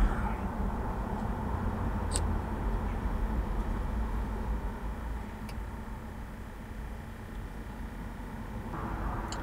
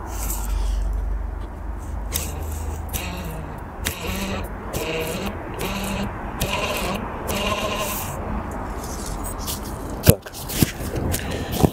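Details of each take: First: BMW X5 E53 climate control unit blower fan, previously noisy as the temperature was lowered, after disassembling and servicing the unit: an even, steady whoosh of air with no rattles, scraping or ticking; running smoothly. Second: BMW X5 E53 / E39 climate control unit blower fan, removed and spun by hand: wavering bleat-like squeak rising and falling in pitch, then handling clicks; fan noisy when temperature drops, cleaned with cologne or alcohol.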